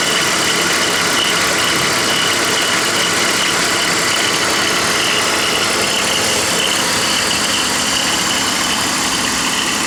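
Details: BMW E46 325i petrol engine idling with a dry, hissy rattle and faint chirp from a worn belt idler (deflection) pulley.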